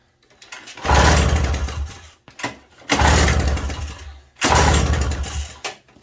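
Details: 1987 Toro CCR 2000 snow blower with a new replacement carburetor, choke on: three pulls, each catching into a second of rough running that quickly fades and dies. It fires but won't keep running; choke or primer setting is uncertain.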